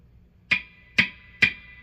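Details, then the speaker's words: Telecaster bridge pickup in a guitar, heard through the amp when bumping the guitar such as fitting the strap: three sharp thuds each ringing on in a high tone; pickup extremely microphonic, neck pickup unaffected, cause suspected in base plate, unconfirmed. "Biggest issue that we have going on is this pickup is extremely microphonic,"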